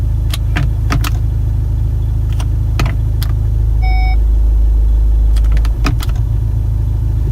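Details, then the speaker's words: Skoda Superb with 336,000 miles, idling with sharp, irregular clunks and knocks as gears are selected and when accelerating, plus vibration when stationary. Cause: slack engine/gearbox mount bracket with a perished bushing. "I can definitely hear there's something not right I don't know if it's gearbox or or what but there is some sort of problem there"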